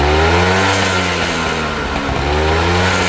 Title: Vespa ss180 piston slap rattle